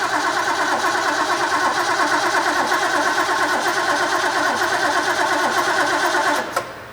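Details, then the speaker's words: Rebuilt Ford 351 Cleveland V8 from a barn-find 1972 De Tomaso Pantera, with oil pressure and spark present: the starter cranks evenly at about three turns a second and never catches, a no-start from ignition timing set 180 degrees out. "it's doing exactly what I said initially it's off of 180"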